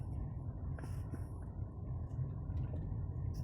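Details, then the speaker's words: Mercedes-Benz driven over a bouncy road after bearing grease was applied to a rusty new front sway bar bushing; low cabin rumble with only soft thuds, no squeak from the suspension; fixed. "want to show you that it's fixed now the putting some bearing grease in that rusty new uh bushing actually help see how bouncy this is normally it would be squeaking super bad"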